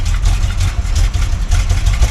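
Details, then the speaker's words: Carbureted 1968 Chevy C10 short bed on choke, sat 8 months, started at about 80°F. Deep uneven burble that stumbles and lopes as if about to stall; owners suspect old garbage fuel or a valve "fart". "I think it's all that garbage fuel. Oh, yeah. Yeah, it sounds like it's doing like a valve fart."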